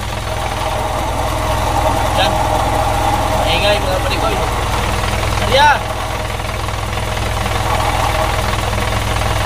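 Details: Isuzu 4HF1 diesel idling with a rough, uneven whirring rattle from a worn clutch release bearing; transmission pulled.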